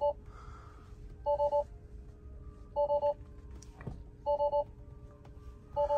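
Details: 2021 Tesla Model 3 Long Range, battery run below 0%: a two-tone triple chime repeats about every 1.5 s over a quiet cabin as alerts show vehicle load shed, low-voltage battery discharging and features shutting off.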